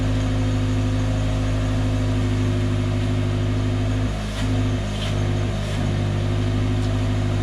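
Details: Engine running after an exhaust pipe patch repair on a previously welded pipe that bypassed the catalytic converter: steady low exhaust drone with a few light revs, no puffing, ticking or hissing leak; exhaust holding pressure, sealed and sound.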